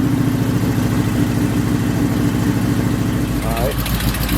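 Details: Cutlass idling after warming up, following partial repair (middle header bolt fixed); quick uneven puffing tick after each firing from the rear header bolt/gasket, still leaking though not as bad as before; exhaust manifold leak.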